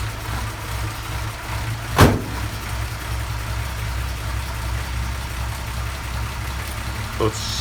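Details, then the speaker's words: Vintage Mopar with 6V generator system, stone cold after sitting a couple of weeks: low steady rumble with one sharp click as the just-started engine settles into an even, healthy run. "the car is stone cold it's been sitting in the garage for a couple of weeks and not been driven so i'm gonna go crank it over if it takes a little while to start that's actually a good thing"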